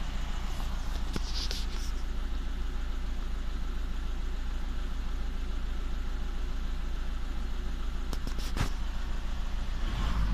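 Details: VW Touran 1.9 TDI diesel idling with a regular lumpy beat, about three pulses a second; cylinder 3 misfire code logged, cause not confirmed.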